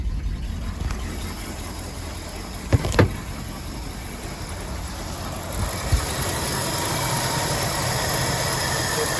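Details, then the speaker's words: 1970 Ford Country Squire 390 6.4L V8, parked 14 years, catches after gas is poured into the carb. It idles roughly with a lumpy, wandering beat and loud stumbles. The owner suspects bad vacuum leaks and a fuel leak at the right side of the fuel pump. "some horrible vacuum leaves, but it's now icing."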